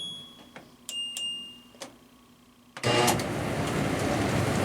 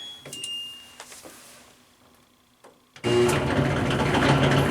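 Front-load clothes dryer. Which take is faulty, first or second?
second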